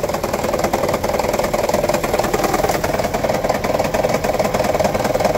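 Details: 2009 Toyota Prius 1.5 hybrid at idle around 1100 rpm, engine bay: busy rattle with a roughly three-per-second stumble; misfire not occurring at this moment; P0304 cylinder 4 case, coil swap ruled out, shorted spark plug and low cylinder 4 compression, fixed by replacing plugs.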